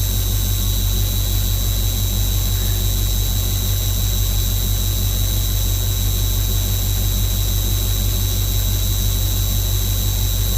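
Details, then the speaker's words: 1985 Ford F-8000 CAT 3208T diesel at 13°F with ice in the air brake system: a steady high-pitched low air pressure warning buzzer over the diesel rumble while the green gauge builds toward 60 and diverges from the main gauge. "once he once it gets past 60 that's when the alarm will go off"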